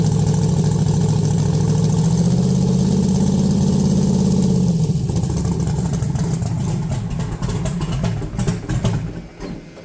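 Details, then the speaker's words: Cold 1982 S10 with raised rpm and heavy vibration; a vacuum leak or bad plug wire is suspected, and it breaks up badly off throttle. Lumpy idle stumbling about three times a second, steadying slightly on a throttle blip; misfire. "Got 60 pounds of oil pressure. It's definitely misfiring. So maybe it's got a bad wire."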